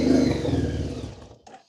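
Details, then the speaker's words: 2010 Honda VFR1200F that misfires and won't idle: with throttle opened it runs rough, smoking and over-fueling, revs sag for about a second and it dies, stalling out. "And then it dies. So, like I said, not without its problems."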